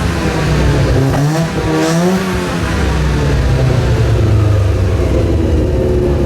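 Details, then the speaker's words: Mazda FC3S RX-7 Turbo II rotary with a new stainless exhaust and muffler, cat and emissions removed, heard while driving from inside the car: a quiet, smooth drone rises with throttle, with turbo spool audible and no rattles or leaks. Healthy tone. "The exhaust is extremely quiet, but it has a nice tone. I can actually hear the turbocharger spool when I accelerate."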